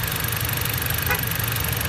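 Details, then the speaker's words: Brand-new 2014 Jeep Compass at 436 km, engine idling: quick, fairly loud ticking on top of the idle. Owner believes it is not normal and plans to take it to the dealer; source unknown. "Well, kilometers are 436, and I just want to record the sound here. It's a pretty loud ticking sound."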